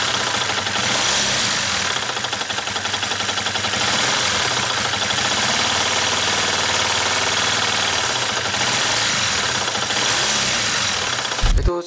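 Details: 2013 Yamaha New Vixion single-cylinder engine right after startup: fast, hard rattling tick over the idle, typical of piston slap from a worn piston and cylinder.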